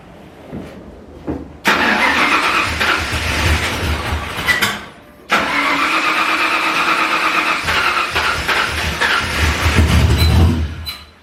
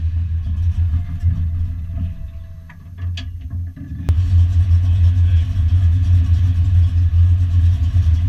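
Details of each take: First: Foxbody Mustang V8, first start after full rewiring and a Holley Terminator X fuel-injection install, not yet tuned: it cranks, catches, runs rough and uneven, then dies. It restarts but won't hold idle. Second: Foxbody Mustang V8 notchback on Holley Terminator X EFI and custom wiring, after idle screw and fuel table tweaks, warming up: steady low idle rumble, a few clicks midway and a level jump, keeps running evenly.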